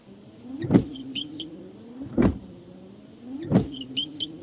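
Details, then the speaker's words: Worn wiper blades on a Hyundai Sonata with rubber collapsed in the middle, causing too large a working angle; heavy thump at each up/down reversal, about forty sweeps a minute, like pounding on the windshield: wiper blade reversal thump. "当时那台爱丽舍的雨刷器就像现在这样，上下刮转换的时候噪音非常大，就像有人在捶你的挡风玻璃。"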